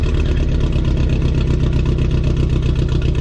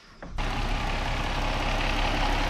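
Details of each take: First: Car at idle, down a cylinder: a lumpy idle with a loping stumble in the exhaust beat as one cylinder drops out. Traced to a bad fuel injector. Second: Car idling after a part was replaced from underneath; the owner had reported it not warming up to operating temperature. It catches and settles into a steady, even idle with no knock or miss, running fine and smooth.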